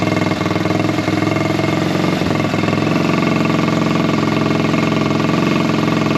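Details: Buggy single-cylinder after air-filter foam work on the carburettor setup. A loud, steady, even beat takes revs without popping or backfiring, though it is slightly louder. Smooth, healthy running.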